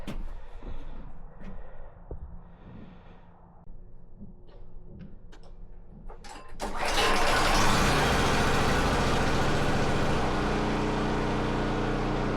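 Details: Firman generator reconnected to the barbecue propane tank, propane lever switched on, then started: some handling and clunks before the engine fires and holds a smooth, steady note without surging or missing; healthy normal running.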